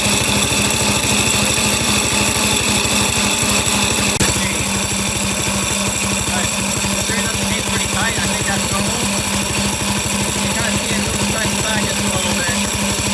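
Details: Small single-cylinder engine on a drift trike, cold start in cold weather, at warm-up idle. Steady, fast chatter with a rattly metallic edge. The chain is loud although fairly tight, cause unclear; graphite lube considered.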